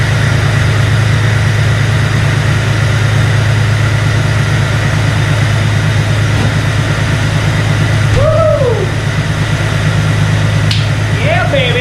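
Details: 2002 Jeep Wrangler, freshly installed 4.7L stroker replacing 4.0, first start breaking in cam at about 2000 rpm for 15-20 minutes, hot day: steady even high idle, one deep drone, no knocks or misses; healthy.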